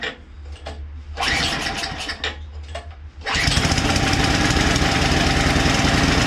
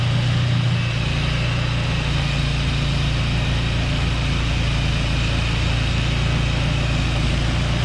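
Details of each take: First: Craftsman two-stage snowblower small engine, not started for two years with fuel left in it: sputters unevenly on choke, clears, then stalls; after fresh gas is added it fires right up into a steady buzzing run. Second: Two-stage snowblower engine, unstarted for two years, runs steady and even with no hesitation or surging after fresh gas was added.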